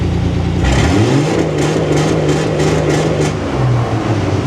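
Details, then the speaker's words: Dodge L-head flathead in a vintage off-road wrecker on MaxxECU EFI, testing a rev limiter in fuel-cut mode with ignition cut as backup. Revs up, then holds with quick regular stutters; accurate, barely above 3,000 RPM. "This time we have it on the fuel rev limiter with the ignition rev limiter kicking in afterwards."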